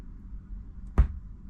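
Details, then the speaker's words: Marantz 6100 turntable through a speaker at low volume: a single sharp pop over a quiet low hum as the motor engages or disengages at tonearm return and shut-off; suspected failing capacitor across the motor switch. "So, I'm going to kind of show you where the pop is. It's when that motor engages and then when it disengages."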